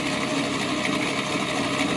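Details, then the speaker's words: 1941 Plymouth Special Deluxe flathead, barn find, first run in 50 years after freeing stuck valves; steady fast clatter with busy valve-train chatter, no misses, oil pressure on the gauge: normal running. "working there we got oil pressure on the gauge we're well on our way hell yeah that is awesome"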